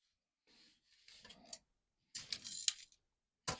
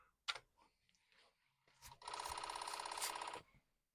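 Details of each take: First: Commodore 64 1541 floppy disk drive, which behaved strangely when powered: short bursts of light metallic rattling and scraping as the unit is tilted; loose screws rattling inside drive case. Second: Commodore 64 1541 floppy drive running a performance test after swapping drive mechanism: a couple of soft clicks, then a rapid, even rattle for about 1.5 seconds; normal head seek, the head steps properly.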